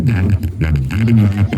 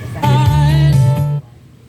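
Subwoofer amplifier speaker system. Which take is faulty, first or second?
first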